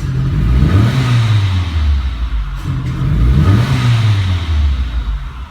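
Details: 2007 Renault Logan 1.6 8-valve SOHC with hard starting, fuel-soaked plugs, smoke, unstable idle and backfiring; engine swells and falls with each throttle blip, revs stumbling and flat on the way up; suspected faulty MAP sensor circuit, to be checked for supply, ground and signal.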